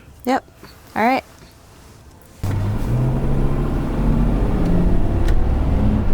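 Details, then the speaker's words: VW Touareg test drive after replacing the disintegrated driveshaft center carrier bearing with a JXB Performance upgraded carrier: a few chirps, then steady road and drivetrain rumble pulling away, no more knocking from the driveshaft; normal driveshaft. "there's no more knocking and i honestly don't hear anything coming from the drive shaft yet"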